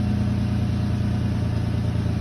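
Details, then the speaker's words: 2008 Nissan Maxima idling after a 30-mile drive with no check engine light. Loud, deep idle with a faint puffing edge under a steady low drone, from an exhaust manifold leak. "yeah it sounded weird because of the leak but it doesn't have no uh check engine light yet so hopefully it stays that way"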